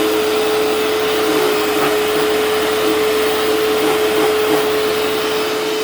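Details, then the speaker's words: Hoover Turbopower 2 vacuum after oiling both motor bearings (the bottom one was rough), reassembled and running with the brush spinning: a smooth, constant, steady-pitched whine with even airflow, a healthy motor. "Nothing wrong with that at all now. That's absolutely perfect."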